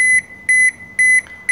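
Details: Toshiba washing machine showing error E2-3: four crisp, evenly spaced high beeps at about two per second. The code points to a door lock problem; voltage on the lock's two red wires is being checked.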